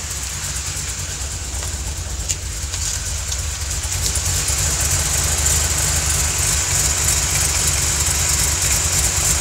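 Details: 2005 Ford Mustang V8 with JBA shorty headers, FRPP cams, JLT cold air intake and Flowmaster exhaust at idle: lumpy idle with a light, fairly even ticking and a sharp hiss; suspected exhaust leak near the headers.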